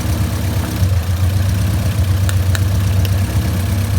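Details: Honda CRX all-motor B17 after jumping timing at VTEC crossover, suspected bent valves, before compression test; steady low idle with uneven loping miss about four times a second, running weird, no sharp knocking.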